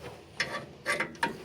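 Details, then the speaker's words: 2007 Ford F150 rear brake rotor stuck to hub: short dry creaks in irregular bursts as bolts pressed in push the rotor off, rusted rotor slowly breaking free. "what its gonna do is it's on press on those brake pads press in on the rotor you can hear it creaking"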